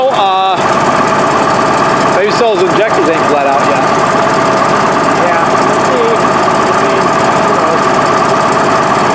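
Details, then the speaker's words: Case 1150B crawler dozer diesel, ice cold, just after two broken injectors were replaced. Lumpy, uneven idle with hard clatter, sounds terrible and smoky, no full throttle yet. Owners suspect the injectors need priming or bleeding and a warm-up. "Doesn't have full throttle yet either. That kind of stuff. Sounds terrible."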